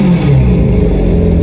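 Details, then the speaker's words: Generation 1 Yamaha FZ1 motorcycle, replacement engine, before a partial restoration: a deep, even exhaust note pulling cleanly through a quick rev with no knocks or misses. The engine sounds healthy. "i have a video here of the replacement engine so you can hear what it sounds like"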